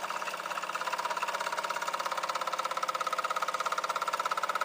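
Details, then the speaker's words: Water pump system after leak repair: steady rapid clicking about three a second over the pump hum, from air bubbles run through the line; PWM-controlled motor set to about half speed. "You can hear it running the air bubbles through the system right now."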